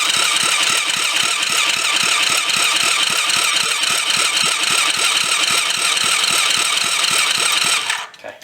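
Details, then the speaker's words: Rebuilt kids' 110cc quad on electric start, fuel reconnected: cranking at nearly four even beats a second with no catch; spark plug still not wet, still a fuel-starvation no-start. "Let's take the spark plug out and see if we have um fuel now."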